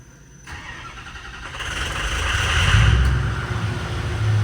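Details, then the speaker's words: 6.0 Powerstroke truck that left its owners stranded, with a new turbo, after the FICM connector was rechecked and another fitted to fix injector timing: cranks briefly, then a clean, steady diesel start with no stumbling. "ready there she is oh man now we got to hear what the turbo sounds like nothing yet it's got to SPO up a little bit all right we're back in business"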